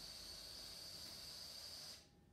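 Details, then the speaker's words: Instant Pot heating up at the start of pressure cooking: steady high hiss for two seconds, then it cuts off and goes quiet as the pot seals and pressure begins building; normal. "So it has created a vacuum inside the chamber, and when you're cooking with the Instant Pot at the beginning, it's going to be making those noises, and then finally it's going to go quiet, and then you know that there is now pressure building in the canner"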